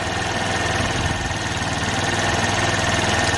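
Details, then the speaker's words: 49cc GY6 QMB139 four-stroke automatic scooter after throttle cable replacement and tune-up: small single putters evenly at about 2000 rpm idle set by the idle screw (target 1800 ±200), no misses or hunting; normal idle. "it's 1800 give or take 200. that's what you can set it up so 2000 is pretty good so that's her idol rpm it's a 2000 right now sounds good i'm gonna call that a win"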